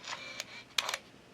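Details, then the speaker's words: Olympus Stylus Infinity Zoom 115 DLX 35mm camera loading a film scrap with the door closed: a short, high, even motor whine as film winds on, then light mechanical clicks; healthy auto-advance. "so let's take this scrap of roll film and load it in pull the leader across into the load position there close the door and we hear it begin to whine"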